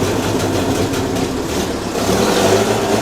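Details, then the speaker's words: 1932 Morris Minor four-cylinder sidevalve, 6V battery, little run since early 1970s, first start attempt: catches and settles into steady, slightly uneven idle, no knocks or squeals, some smoke; acceptable for its age. "doesn't sound too bad try and keep it going got a bit of smoke coming in here"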